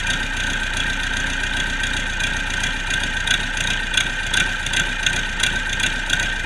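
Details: Turbocharged Cummins 4BT 3.9L diesel on a test run after a customer repair: a steady idle with an even, light clatter at about two and a half beats a second and nothing abnormal on top. It runs healthy.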